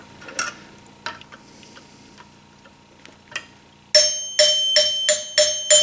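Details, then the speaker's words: 1974 Gottlieb Magnetron EM pinball three-chime unit: several chimes ring clearly but the hundreds bar sounds dull and short, as it is wobbled out in its worn mounting hole; the bar needs replacing but isn't yet. "This hundreds is kind of wobbled out in the hole. That's the bar I really want to replace, but I can't right now."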